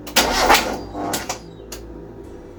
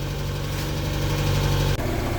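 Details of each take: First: Mk1 Mazda MX5 on jump-start charger, first start after reassembly with exhaust manifold, long unstarted: starter churns in short bursts then a longer spin that never catches, because the airflow meter was left unplugged. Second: Mk1 Mazda MX-5 with a 4-2-1 exhaust manifold, after clutch work and after running for a while: a steady, even low idle with no ticking or puffing. Normal warm idle.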